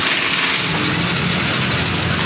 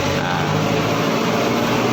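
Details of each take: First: Yamaha NMAX 155 scooter: steady starter whirring on and on, speedometer lights and battery good, but engine never fires; crank-no-start. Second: Yamaha NMAX 155 scooter that cranks with good battery but won't start: steady even hum with low drone and faint tones, fuel pump running normally.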